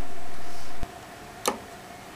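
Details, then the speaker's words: Zoom-Ex magnifier setup, step two: each of the two folded-down legs' locks is rotated into its final position, giving three light, crisp clicks in a quiet room that show the legs are secured. "then rotate the leg locks in their final positions you will hear a light clicking sound"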